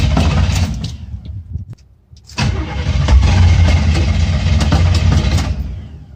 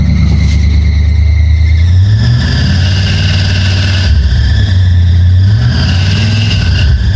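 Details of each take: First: Chevrolet Scottsdale small-block V8 after new ignition parts, not started for a few weeks, choke off; steady cranking at about four beats a second, a pause, more cranking that never catches: crank no start, no spark. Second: Chevy Scottsdale truck after new engine parts, distributor ticking gone: deep engine note rises and falls cleanly with throttle, idling high, faint squeak from new belts; runs much better.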